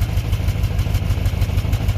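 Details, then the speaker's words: Toyota 22RE idling shows quick regular low thumps as the exhaust pipe knocks against the body. It idles better (the battery is bad) but still has no throttle response. "But that pipe definitely needs fixed. It's knocking up against the body thing right there."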